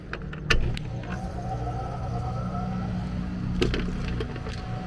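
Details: AC condenser starting after repairing a compressor disconnect where a mounting screw shorted a high-voltage leg and tripped the breaker: steady low hum with even fan rush, no clicks or rattles; runs cleanly, about 239 V with no big drop.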